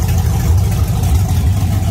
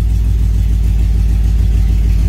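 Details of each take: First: Engine warming up near 193 degrees, no leaks: lumpy, uneven low idle with occasional stumbles, engine missing; owner suspects low fuel pressure, cause not yet confirmed. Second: Truck with new Holley Sniper EFI throttle body, warm at 201 degrees, idling around 750 rpm, IAC position low so idle screw can't be raised further: deep, smooth, even low rumble with no misses or knocks; sounds good.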